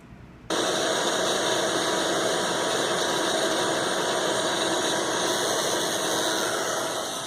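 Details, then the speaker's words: ICS Advent Pentium III industrial PC (baby AT) at switch-on: steady fixed-pitch buzz for about seven seconds from the very fast BIOS memory-count ticking; normal. "That buzzing noise actually is the memory test. It was common for systems to make a tick as they incremented up their memory count. It's very fast here because this is a very fast memory count, so it sounds like a buzz."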